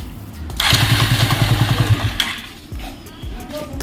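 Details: Bajaj Avenger 220 motorcycle starter cranks with a rough, rapid chugging rattle from a worn starter (self) motor bearing; fixed by fitting a starter bearing kit.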